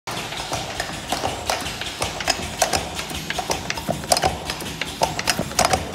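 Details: Push-type lip gloss filling and capping machine under noise test, held below 66 dB: steady cycle of light clicks and pneumatic taps at about forty per minute, no grinding or squeal; normal operation.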